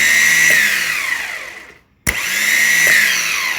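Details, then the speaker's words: Alfa Romeo 147 starter on the bench after servicing, bridged from the main post to the solenoid post: two clean spin-ups to a steady high whine, each winding down smoothly with no grinding or rattle; starter spins freely. "can hear the shutter is running"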